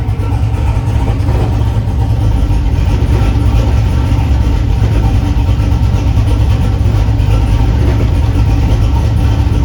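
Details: Chevrolet S10 V8 with a steady, even idle, deep smooth exhaust note and no misses or knocks. It started rough, possibly because an earlier idle-screw adjustment threw off the IAC; once readjusted, it sounds healthy.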